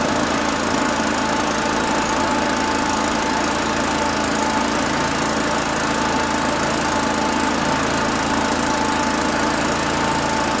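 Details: Allen Hover mower with Honda engine after carburetor work, tied down: even, steady buzz with no stumbling, surging or knocking; runs cleanly and healthy.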